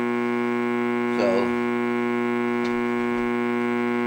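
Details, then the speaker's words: Radio audio amplifier at full volume with no input, fed by a wall wart instead of the quiet transformer/LM-regulator supply: steady low mains-type hum with even harmonics, persisting with a capacitor across it; hum attributed to the wall-wart power supply. "there is a hum in the power supply in the wall wart one."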